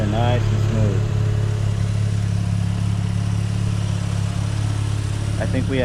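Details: Mazda RX8 rotary idling after secondary shutter valve (SSV) installation, following a slightly rough start possibly from debris falling into the chamber: steady, even low hum with smooth regular pulse and no stumble; clean healthy idle.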